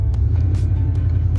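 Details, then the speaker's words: 1988 Chevrolet C1500 pickup, about 312,000 miles, with new fuel tank and a couple gallons of fuel: deep steady engine rumble while driving, no knocks or misses; no check engine light, brake light on; running good. "got a brake light on too but no check engine light sounds good with uh I think it's three 312,000 miles on it still running good"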